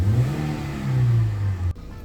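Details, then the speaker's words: Car after fixing P0304 misfire (cylinder 4 spark plug carbon-fouled from no tune-up), codes cleared: revving rises and falls cleanly with no stumble; normal running on all cylinders. "Kita gas. Nggak ada sensasi berbet, nggak ada sensasi pincang."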